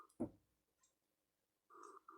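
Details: Keurig Mini after brewing: a quiet machine, then two short buzzing hums of about half a second each, ending in a louder gurgling burst. It happens even after unplugging; the cause is unclear.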